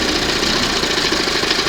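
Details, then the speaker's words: 1971 Johnson 20 hp two-stroke outboard on a water hose, after the throttle linkage slop fix: a ragged, crackly idle barely hanging on, with the throttle butterfly position slightly off. Idle speed set too low. "Just barely hanging on. So, it's a hair off on that butterfly position right in the middle."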